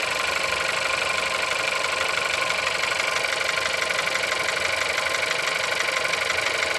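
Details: Engine at 176,000 mileage, cold start: steady, fairly fast knock, about three per second, riding over an even idle; engine knock, cause not pinned down.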